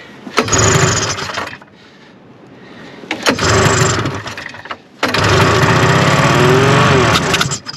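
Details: Vintage 1974 Arctic Cat Lynx snowmobile, fan-cooled 340 two-stroke, left outside derelict for 5 years with old gas, mouse nests and corrosion, in cold snow. Choke and brake cleaner are used. Three pull-start attempts each give a brief sputtering burst that fades; it catches momentarily but won't keep running.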